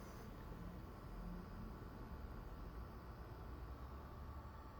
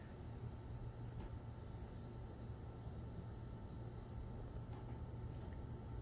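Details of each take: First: Zotac RTX 4090 (vertically mounted, coil side away from camera) under load in Cyberpunk: steady low fan rush with only a faint, barely audible whine; coil whine negligible, fans louder. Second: Coil whine from an Asus Strix RTX 4090 compared with a Zotac Extreme 4090, vertically mounted so the coil near the PCIe slot faces away from the mic. A thin high-pitched tone over low fan rush flickers as the in-game load shifts.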